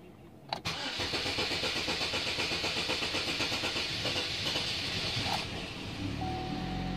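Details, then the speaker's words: Toyota Camry (possibly Corolla): the starter churns steadily about four beats a second for nearly five seconds before the engine catches and hesitates. Loss of fuel pressure is suspected, pending a fuel pressure check. "you saw that with a long cranking time and it hesitated sister let's go check your pressure"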